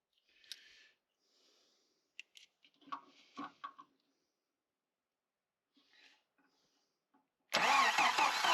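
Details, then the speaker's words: 1993 Jeep YJ built from mixed parts, left sitting for an unknown time: quiet handling noises, then the starter spins the engine steadily without it catching, crank no start, and a spark check finds no spark. "No spark. Oh, that could be a problem."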